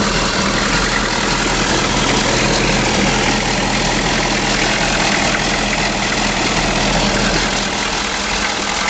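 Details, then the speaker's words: 1983 Chevy G20 Starcraft conversion van, 6.2 L diesel, last run before removal: steady diesel clatter at idle, even and unchanging, no misses, knocks or hunting; a sound runner. "it's a 6.2 L Diesel and I'm taking this video because this is the last time this motor is going to run in this vehicle"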